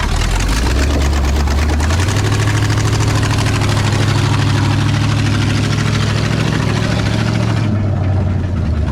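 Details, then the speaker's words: 1968 Ford F250 with freshly rebuilt Ford 360 FE V8 (new timing chain, oil pump, water pump), first start after install: deep, steady, even idle with no knocks or ticks; sounds healthy. "oh she sounds good y'all"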